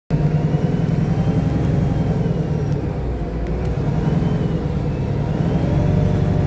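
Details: Arriva North East VDL SB200 Plaxton Centro diesel bus YJ58 FFB in limp mode: steady deep diesel rumble at a raised, unchanging idle with no throttle response; high idle, cause not confirmed.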